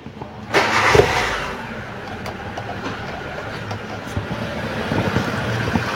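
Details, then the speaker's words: 2002 Hyundai Atoz GLX, oil dark but not mixed with coolant: starter catches quickly, engine settles into steady even idle, no piston, ring or bearing noise; normal start and idle. "Kita dengerin suaranya itu saya rasa suaranya Masih normal tidak ada ciri-ciri suara mesin itu udah kena seher atau ring seher atau metalnya udah kena"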